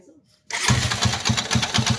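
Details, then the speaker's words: Engine catches, then a heavy, regular knock at about four or five beats a second. It persists with the clutch housing removed, so the mechanic suspects the bottom end after water got mixed into the oil; an overhaul is needed. "Sa mga ganyang senaryo mga boss, posibleng ilalim na. Overhaul to, ating babaklasin to."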